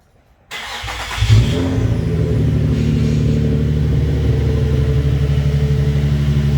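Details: Nissan 350Z with a freshly swapped-in JDM replacement engine, after the refreshed original engine failed at about 180 miles; first start: brief crank, catches within a second, settles into a steady even idle with no knocks or misses.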